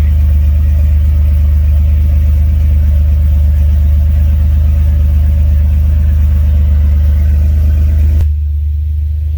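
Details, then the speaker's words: 2003 Dodge Ram 1500 petrol V8, just after a worn-out fuel pump was replaced: it fires right up into a steady, even low rumble at idle with no misses, knocks or surging; normal idle. "That's it. You hear it? She's running."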